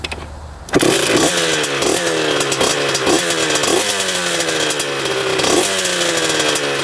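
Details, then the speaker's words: 2001 Honda CR125 two-stroke after fixing piston ring and case gasket compression problem, before heat cycles: crisp buzzy quick repeated revs, clean and crackly with no misses; healthy. "set that, fired right up instantly. Sounds really good too. So far so good."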